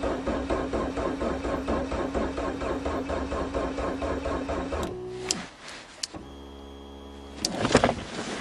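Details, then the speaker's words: Geo Swift cold start in March on stale fuel with patched ignition: steady rhythmic starter churning about five seconds that never catches; cranking no-start, cause unconfirmed, owner worries about fuel pump and draining the battery. "come on here the fuel pump you started last year you're going to kill my battery uh-oh"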